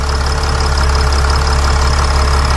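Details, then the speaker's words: Mercedes Sprinter van 3.0L diesel, after engine oil cooler replacement, heard under the hood: steady even idle with deep constant drone, no misses or knocks; no leaks around the engine, repair fixed. "I like how the engine sounds there are no leaks around the engine this is good"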